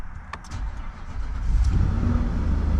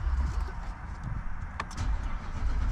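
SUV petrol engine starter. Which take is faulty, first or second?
second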